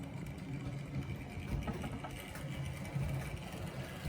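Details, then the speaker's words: Vintage OO gauge model locomotive creeping at low speed, starting to move at about 40% controller setting; soft, low, even whirr with light rolling rumble, no stutter; small motor creeps smoothly. "It starts moving at about 40% on the moley. That creeps really well."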